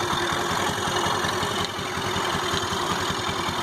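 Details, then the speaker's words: Honda Activa 4G scooter idling with a steady fast patter and an odd extra rattly noise over it, unlike normal; noise first thought from silencer, then suspected from engine, source unconfirmed; abnormal engine noise at idle. "ये इसके शायद इंजन में से आ रही है। देखते हैं अभी हम लोग कैसे ठीक किया जाता है। कुछ अंदर से ही शान आ रहा है, एकदम ऐसे कर मतलब जो नॉर्मल आवाज़ आती है उससे एकदम अलग आ रही है।"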